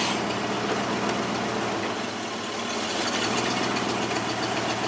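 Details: Ford F-150 idling steadily with a low constant hum, no hiss, stumble or hunting, after replacing the brake booster check valve that caused a vacuum leak; running much better.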